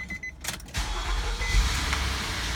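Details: 2003 Nissan Murano, 198,000 miles, brought in for hard starting with service engine soon light on, after sensor work: short crank catches almost instantly and settles into a smooth even idle with no odd noises; normal start.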